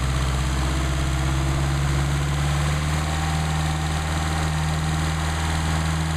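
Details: Mercedes-Benz 190SL with rebuilt replacement Solex carburetors on test; about 99° ambient, warming up before adjustment. Steady even low idle, smooth deep hum, no misses, knocks or hunting; normal warm-up idle.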